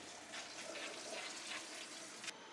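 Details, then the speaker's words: Pressure system after whole-house filter change: steady hissing rush of water refilling and repressurizing the diaphragm tank, no banging or sputtering, then abrupt stop; normal refill. "that noise is what's going into the diaphragm tank right yep yeah it's refilling the tank now repressurizing it"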